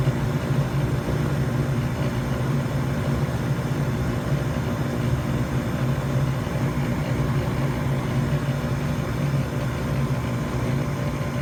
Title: My Goodman GMPN080-4 Furnace Blower Motor Fan Making A Rumbling Sound